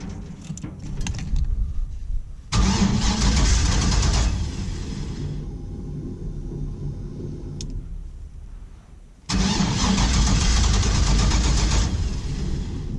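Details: 1949 International KB2 with an L96 engine, E38 ECU, Speartech harness and very old fuel, no O2 sensors: the starter cranks about four times a second, then the engine suddenly fires and roars and drops back. Hard start.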